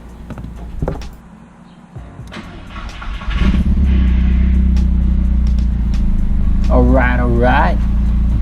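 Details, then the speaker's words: VW MK4 1.8T after stage 2 ignition tune-up (2.0T coil pack conversion), catless downpipe, codes cleared: starter cranks, engine catches and settles to a steady even idle, no misfires or check engine light; chatter heard is the throwout bearing. "That's what I like to hear. It's running pretty smooth right now. I can't say that I feel a difference from before. There's no check engine light popping up. Doesn't sound like any misfiring"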